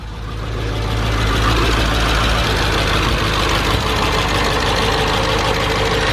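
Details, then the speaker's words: Salvage-auction supercharged Mercedes-Benz E55 AMG, first start after new oil cooler, weak battery: fires and idles loudly with slightly uneven, lumpy beat under heavy mechanical noise; rough but nothing obviously catastrophic; oil-level warning shown. "that start didn't sound the smoothest but it didn't sound like there's anything catastrophic ly wrong"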